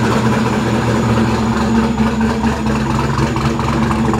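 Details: Ford 302 Windsor V8 in a Mustang on its first start after a distributorless conversion to Godzilla coil-near-plug ignition and a Crown Victoria EEC-V ECU: a steady, even idle with a smooth low burble and no skips or ticks.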